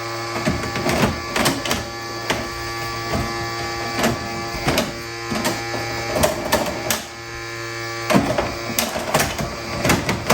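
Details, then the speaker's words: RCA SJT 400 CED player at first power-on, load indicator lit: repeated harsh grinding clatters about every half second over a steady motor hum; loading mechanism jammed. "splashing l which means load making a really awful racket which i'm sure it's not supposed to be back in something might be very broken uh okay"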